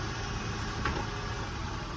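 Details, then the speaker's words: 2000 Acura TL with 3.2 VTEC engine, started right up on a jump box and shifted reverse then forward, idles quiet and even with a smooth low hum, no ticking or knocking; sounds real good. "And coming back forward on it. Sounds real good. Got the 3.2 VTEC engine on this one."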